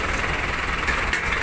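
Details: Isuzu 4BC2 diesel after replacing faulty battery (starter only clicked before): steady diesel clatter at an even idle, no stumbling or dropouts, running cleanly.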